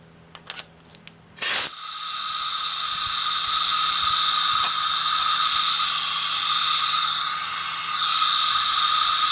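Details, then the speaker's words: Tecumseh 10 HP engine, leak-down check with compressed air into cylinder: after a sharp burst, steady airy hiss with thin whistle; exhaust valve suspected not sealing, not confirmed. "i don't know if you can hear that but i think that exhaust valve is not sealing correctly"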